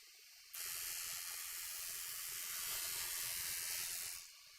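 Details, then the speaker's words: Cutter running a wood edge along its full length for a flat edge: even unbroken hiss of the cutter biting wood the whole pass, no gaps, meaning the edge is now flat. "so when i hear that that cutting noise as i take it through the entire length i know that it's now been flattened"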